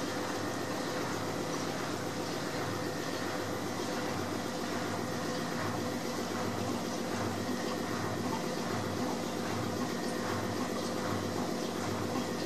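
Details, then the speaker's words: AEG L7540FL washing machine, new, advertised as quiet, while pumping out: steady droning hum with a busy rattling hiss, audible all over the house; loud noise during draining. "advertise this machine as being quiet not so sure we can hear it all over the house when it's pumping so so"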